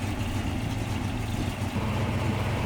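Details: 1954 Ford F-800 fire truck, possibly a Cargo King 170 Y-block, with five-speed transmission, just push-button started and firing right up: even low idle rumble with a steady beat and no knocks or misses; smooth, healthy idle.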